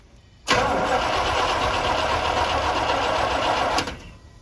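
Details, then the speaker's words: Carbureted truck that stopped running: spark present, drop of gas seen at carburetor, flooding suspected, fuel with water contamination; about three seconds of even, quick cranking that never catches, crank no start from flooding and water in fuel. "so put the plug back on i am noticing a drop of gas right here so possibly we're flooding over"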